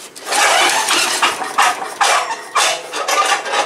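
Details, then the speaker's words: Small-engine wood chipper, previously seized, cranking for a spark check; as it slows and stops, a few loose metallic clunks from free-swinging flail blades that centrifugal force holds out when running; normal, nothing wrong. "when you hear that clunk clunk clunk there's nothing wrong with it it's uh there's uh there kind of like a blade that kicks the stuff out and that's what you hear"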